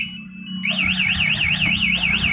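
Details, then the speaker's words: Yamaha Vixion motorcycle with a two-way MP anti-theft alarm triggered by tampering with the ignition: a loud warbling siren sweeping about three times a second over a faint hum, while the remote vibrates. "Ketika ada pembobolan dari kontak, maka alarm akan bunyi keras dan remote juga akan getar keras seperti ini."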